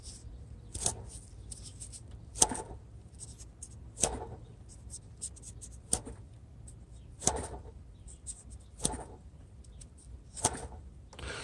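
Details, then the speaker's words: 1995 Mercedes-Benz S600 coupe, engine running: sharp chirps about every second and a half over a low hum from a water pump bearing starting to wear, not yet critical. "The water pump, that's not really great, but let me try to get this thing so you hear it. you hear that bearing already going, but not, I don't know, it's, there it goes, maybe now."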